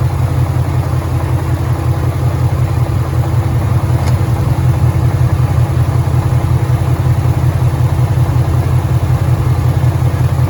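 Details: 2013 Ford Mustang GT 5.0 Coyote V8, manual, 81,500 miles: even idle with a regular deep knock about 160 per minute, worse after driving, and the car stalls after long drives; owner suspects rod knock, source unconfirmed.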